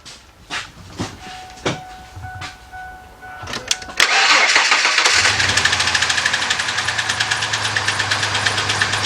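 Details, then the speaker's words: 1998 Ford F-150 4.2-liter: a few sharp snapping clicks, then a lumpy, uneven, raggedy idle with irregular beats; rough running from multiple misfires, diagnosed by disconnecting plug wires one by one to find the dead cylinder. "man this thing's going raggedy what the heck is going on"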